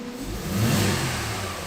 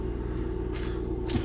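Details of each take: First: 2008 Mercedes-Benz E280 after misfire repair, live misfire counts on all cylinders now zero, plugs checked and kept, injectors the fix; engine revs smoothly through two blips, steady even note without stumbles; normal revving. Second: 2008 Mercedes-Benz E280 with an unstable idle: a lumpy, skipping idle from misfires mainly in cylinder 1 and also cylinder 2, worse under acceleration with felt engine vibration; misfire from dirty injectors.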